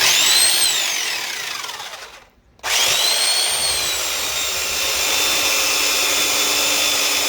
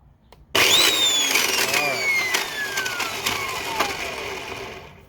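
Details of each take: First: Old Black and Decker U-144 belt sander after repairing its damaged gears, which had caused loud grinding: a steady high motor whine that winds down, restarts and settles to an even hum with no grinding noise. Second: Old Black and Decker U-144 belt sander: motor spins up, then rough gritty grinding with clicking as it winds down; suspected damaged gearbox gears causing the grinding noise.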